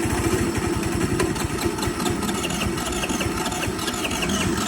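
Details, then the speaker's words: Rebuilt GY6 four-stroke engine swapped into a Honda Aero scooter, idling steadily and evenly with no knocks on its first start after the rebuild. Compression is about 110–115, and missing gaskets from a prior rebuild were fixed. It runs with no air filter. "all right so I got it started seems to be acting real good"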